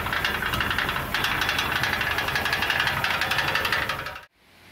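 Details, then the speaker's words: 2006 Ford E350: hollow metallic rattling knock over idle at about three per second, sometimes like rod knock, sometimes a rattle; seemingly from a loose substrate in the right-hand catalytic converter, which is to be replaced. "Okay, hopefully you could tell the difference there with all of that. It sounded like the right-hand catalytic converter."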